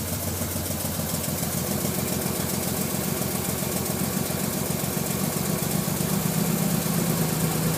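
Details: Nissan R33 RB25DE non-turbo on cold start after a day sitting: lumpy uneven idle with irregular misfire stumbles for 5-10 minutes until warm, spitting water/fuel; new coil packs and spark plugs didn't help; air flow meter suspected; cause undetermined.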